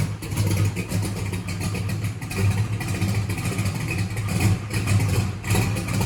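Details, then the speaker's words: Holley EFI drag race car after a TPS auto-set and throttle position sensor fix: engine catches and keeps running with a deep, steady beat and light throttle blips; fuel pump fine. Normal running. "i am very happy that it was an easy fix the fuel pump is not screwed up it was just the throttle position sensor"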